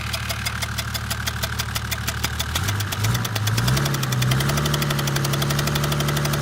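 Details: Mercedes OM606 diesel on test run. Steady light ticking over the idle quickens as revs climb; the noise seems to come from the cylinder 3 intake valve, where one intake valve wall is black. Owner hopes it is a stuck hydraulic lifter.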